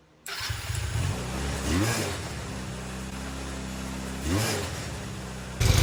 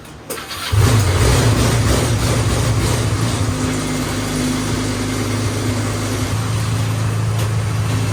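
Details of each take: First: Restored go-kart engine after fixing no-spark by shortening wiring: catches almost at once, blips up twice, settles into a steady running note. Normal start. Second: Restored go-kart small engine on its first start after rewiring the clutch, start and kill switches: catches after a few cranks, then runs roughly with an uneven lumpy beat. Owner suspects it runs rich after a loud pop and plans to open the carburetor.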